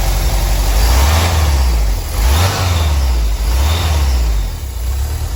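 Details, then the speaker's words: 1985 VW Vanagon Westfalia with newly swapped 1.9 engine and rebuilt three-speed automatic: smooth even note rising and falling cleanly with throttle, no knocks or misses; runs and drives well. "you just heard the van is finally running really good and drives good too"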